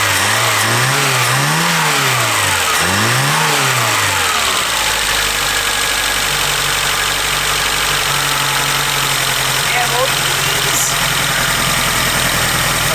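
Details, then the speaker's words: 1976 Peugeot 204 barn find, sat in a shed about 10 years, first start on choke: after throttle blips it settles into a steady fast idle set noticeably too high, and it dies almost as soon as the throttle is touched. "the idle seems to set a bit high"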